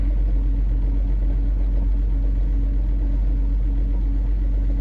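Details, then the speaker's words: 2002 BMW 325Ci inline-6 on its first start after sitting three years with a new battery, before the oil change and plugs. Deep, lumpy rumble pulsing about twice a second that shakes the car; rough running, cause unclear, owner also suspects possible lifter tick. "some type of rumble going on here yeah i can feel something something's definitely wrong and it is not running very good oh yeah now the whole car is rumbling real low"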